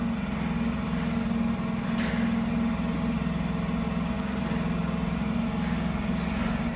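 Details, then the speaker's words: Opel Manta hatchback with Ascona front, sat about 20 years, refurbished rusted fuel tank and new fuel pump: a steady low buzzing hum with an even pulse, no rattle or squeal, quieting as pressure builds; normal fuel pump priming. "so that is actually the fuel pump just picking fuel up there now so let that run the second it's going to look quieter now so we know the fuel pressure is getting up"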